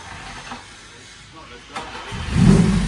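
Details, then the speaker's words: Lancia Fulvia, warm, after a leaky heater matrix repair: after a quiet pause the engine fires promptly and catches cleanly into a strong, even idle with no stumble; normal start. "oh that's beautiful let me have a blit oh it's got a lovely bar"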